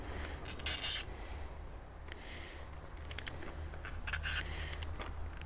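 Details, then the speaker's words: Honda Accord Tourer (7th gen), spark plug being removed with cold engine and extra-long wrench; quiet metallic scraping squeaks in short bursts, like metal being dragged; owner fears damaged thread, cause suspected, not confirmed. "Nie wiem czy słyszycie. Nie, nie podoba mi się wcale jak to idzie. Jest taki dźwięk, jakbym metal ciągnął."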